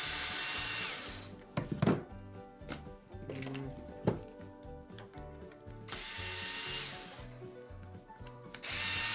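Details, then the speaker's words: Wahl Lister Stablemate livestock clipper, customer complaint of loudness: harsh, loud buzzing rattle in bursts, far too noisy; worn cam bearing and drive gear, to be replaced. "I believe this Clippers loud as what the customer says alright I had to plug it in [Music] well done that sounds good I'm gonna ship it back no I'm just kidding that sounds horrible"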